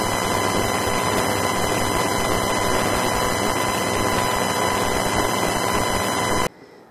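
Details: Main Windows 10 PC audio through a home-built amplifier, heard on headphones not speakers; constant hiss with steady high whine, buzz and crackle until it cuts out, present whatever amplifier is used; ground loop suspected, cause unknown.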